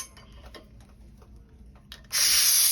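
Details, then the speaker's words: Oxygen/nitrous oxide cylinder deliberately loosened at its connection: a few quiet clicks then a sudden loud steady high hiss; gas leak from cylinder not screwed tight or missing gasket, fixed by tightening. "okay so if the tank was not screwed in tight enough you would hear a noise"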